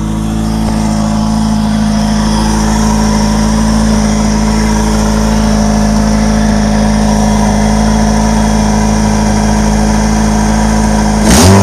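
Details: Honda Prelude engine held at raised revs: loud, raspy sound with a rough puffing edge from a bad exhaust leak.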